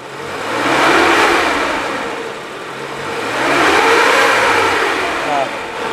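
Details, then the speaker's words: 2003 Suzuki Carry Futura Realvan GX, dry engine, no smoke: revved up and down twice, smooth with no knocking or metallic rattle; no sign of worn piston rings, which would sound rougher. "kalau dari suara mesin kita geber ini suaranya dia masih oke, masih nggak ada suara yang aneh-aneh."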